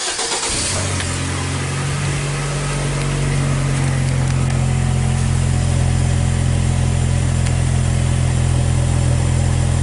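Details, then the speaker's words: 2014 Hyundai Tucson, 2.0 L petrol, hesitation and power loss since a recent service; no misfire codes stored. Cranks and catches, then a lumpy idle pulsing unevenly 3–4 times a second, heard at the exhaust: misfire. "I did notice that the exhaust was s like it had a you know a mire or rough F right"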